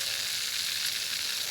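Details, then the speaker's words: Drip irrigation line under bark: a steady airy high hiss like water spraying from a small split, another leak found here with possibly a second one nearby; cause suspected, not confirmed. "oh it's right in here isn't that something right in here there's another leak and it almost sounds like I think there's one over there"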